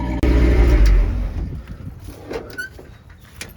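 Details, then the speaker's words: Carbureted dually truck without X-pipe after flooding carburetor cleaned, loud rumble fading into uneven low exhaust puffs about three a second; each puff is a misfire, suspected from water in cylinders. "so whenever you hear that puff it's misfiring that's why i didn't put an x-pipe in there because you can isolate what side of the vehicle is giving problems"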